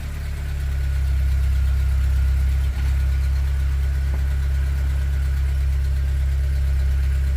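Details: Fiat 500 idles low and steady with an even beat, no knocks, stumbles or starter noise, after the connections underneath were cleaned of Vaseline and sprayed with WD40; normal idle.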